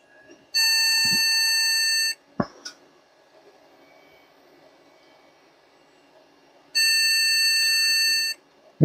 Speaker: so either it's not liking the ram or there's something else going on here my my gut feeling is the ram just because the noise that it's giving